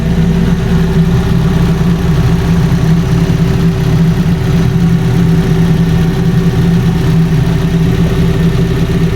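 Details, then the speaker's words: Fiat 500 first start after timing belt replacement, idling with some oil residue steam; steady even smooth low hum, no knocks, ticks or whine; engine healthy, cooling system still to be bled. "Sounds good, guys. Sounds sweet as a nut."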